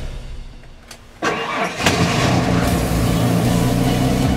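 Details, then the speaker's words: Older car or truck after instrument cluster replacement: engine cranks, catches, then revs with uneven stumbling beat, misfiring; cause not yet figured out. "can see that it's Revit you can probably hear misfiring it just like that so you're still got a good bit of work to do on this thing"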